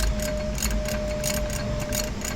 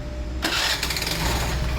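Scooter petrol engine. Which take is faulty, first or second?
first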